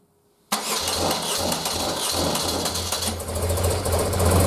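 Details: 1976 BMW R100S airhead boxer twin, dealer-rebuilt 20 years ago and stored unrun, carbs untouched and untuned, very cold, first run: engine catches cleanly and settles into a lumpy cold idle with a steady twin beat, no knocks or grinding.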